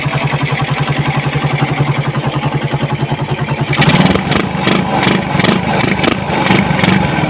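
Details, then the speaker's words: Raider 150 motorcycle after timing chain replacement, idle then revving: steady single-cylinder pulses and clean rise in revs, no ticking; previously very noisy when revved, now fixed. "So success tayo mga idol, nawala yung lagitik niya, yung ingay."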